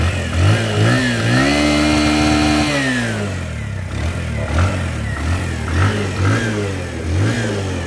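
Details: Bajaj CT 100 Platina motorcycle after full service and engine rebuild; small single revs up smoothly and drops back to a steady idle with no knocks, rattles or misfires, a healthy engine.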